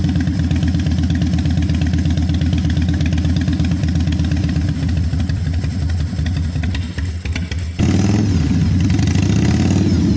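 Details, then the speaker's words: 1996 Harley-Davidson FXSTSB 1340 Evolution with Mikuni HSR 42 mm carburetor, just started but still stumbling: lumpy V-twin idle that sags around seven seconds before picking up; carburetor out of adjustment, mixture and accelerator pump still to be set. "Ini motor sudah hidup Ya sudah hidup cuman masih berebet"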